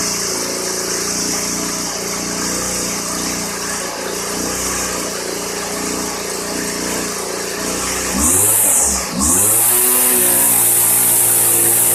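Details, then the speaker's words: 1999 Weed Eater FeatherLite trimmer (Type 1 XPWES 0183LT) two-stroke, dormant over a decade, running after a new carburetor and fuel lines: bright buzzy note holds steady, dips and climbs briefly with throttle, smooth and even. Clutchless, head spinning; normal running. "I'd say that's not too bad for an engine that has been dormant for more than 10 years. The head is spinning and so far everything sounds good."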